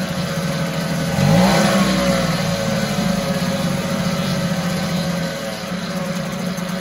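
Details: 1974 US-made Mercury 4 hp single-cylinder two-stroke outboard, revived after long storage, running in a test tank after reassembly: brief rev, then steady even buzz about four beats a second, no stumbling or knocking; normal running.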